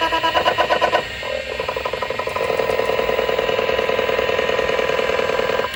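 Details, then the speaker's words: ST251 MFM hard drive connected to a Commodore D9090 controller and power supply: rising whir as platters reach speed with rapid head-seek chatter over it; normal healthy spin-up, no errors. "connect to the ST251 drive that I had acquired up to the controller and the power supply, and when I was done, it all spun up perfectly, no immediate errors. The sound of an old MFM drive spinning up is actually pretty cool and it's worth a listen, so I won't talk over top of it for a few seconds."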